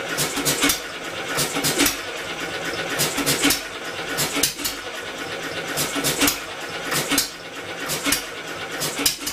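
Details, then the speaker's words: Homemade double-expansion four-cycle engine from a two-cylinder air compressor, electric motor assist being removed: uneven sharp firing bursts over mechanical clatter, catches but can't carry itself; owner suspects flywheel (original pulley) too light after governor unlatches. "couldn't quite pull itself over close but no cigar at least we have a semi Runner"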